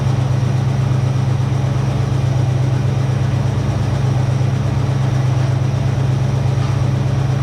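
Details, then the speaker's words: 1966 Ford Mustang 2+2 fastback with 82,000 miles, sitting for years, running after replacing a leaky fuel pump. A deep, even V8 burble holding a steady lope with no misses or knocks: idles cleanly, "starting to sound better." "yeah you're dirty beautiful starting to sound better now"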